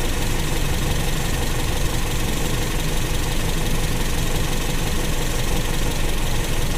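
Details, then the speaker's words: Carbureted Toyota Kijang, idle air/mixture screw being turned in until rpm drops: low, uneven idle stumbling and sagging near stalling; rough idle from lean mixture. "sekarang kita putar ke kanan Artinya kita kecilkan sampai mesin turun rpm-nya Hampir"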